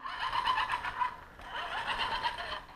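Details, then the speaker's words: Axial SCX10 Rubicon RC crawler with lifted, upgraded suspension driving: scratchy squeaky chirping in uneven bursts like rubbing; owner suspects driveshaft phasing/binding, not confirmed. "now I've heard about phasing with these drive shafts and I think that's what I'm experiencing when there's like an actual like like rubbing going on even though there's no rubbing"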